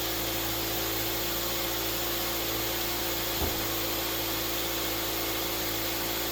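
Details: 2008 Mazda 3 after an engine swap to a junkyard engine, second fire-up after a very weak crank on a near-dead battery pack with a faulty cable: steady, even engine run with no knocks, ticks or misses; engine sounds healthy.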